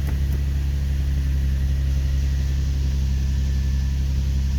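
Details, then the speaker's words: Infiniti G35 with VQ35DE V6, started right after an oil change; owner likes its trumpet-like exhaust note. Steady, even low rumble settling to a smooth idle with no knocks or ticks; healthy. "I like how they sound. That may or may not be a controversial opinion, but I like the trombone sound, the trumpet sound."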